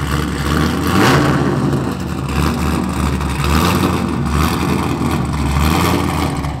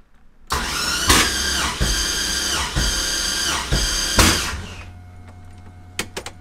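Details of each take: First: Mazda FD RX-7 with rebuilt 2002 LS6 V8, Trick Flow cam, essentially straight-piped exhaust; loud, raw, unmuffled rumble rising and falling with revs, choppy from the cam, no knocks. Normal running, straight-pipe exhaust. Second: Mazda FD RX-7 with swapped, freshly rebuilt 2002 LS6 V8; starter turns slowly and unevenly with heavy beats about a second apart, cranking too slow. Starter, battery and grounds replaced or checked first.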